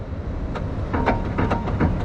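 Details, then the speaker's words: Renault Kangoo raised on a lift: dull clunks in short bursts as the steering wheel is rocked side to side over a low workshop hum; worn steering rack (steering box), to be replaced. "Evet bu ses yüzünden Bu kutuyu değiştireceğiz"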